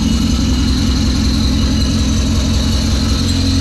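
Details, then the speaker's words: 1990 Honda CRX Si, first start of freshly installed old DOHC ZC engine swapped in for a B16A3: loud low idle with uneven lumpy pulse, running rough; an unidentified squeak also present. "Oh, it's alive, it's alive! It's a little rough running, but it's running."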